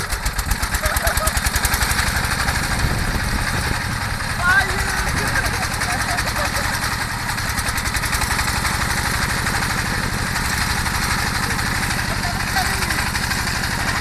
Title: Misfired Enjin pam air (engkol tertinggal)